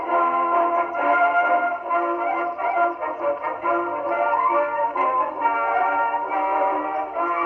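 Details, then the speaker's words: 1919 Victor Victrola VV-IV #437504 after overhaul (new governor assembly, main spring, spring drum, felt; rebuilt Exhibition reproducer): clear steady record playback, even pitch, no surging, wow or scraping; motor and reproducer working properly. "That also played very well. Another keeper."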